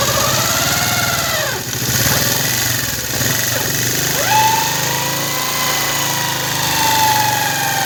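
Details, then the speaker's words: Motorcycle engine with new cushion gear, new clutch plates, machined clutch and replaced clutch basket, still noisy: loud mechanical whirring rising and falling with revs over rattly idle; worn primary gear with damaged teeth. "तो इसका आपने आवाज़ भी सुना कैसे इसका आवाज़ बहुत ही ज़्यादा है, शोर कर रहा है इंजन, और इसका आवाज़ भी जूकट है।"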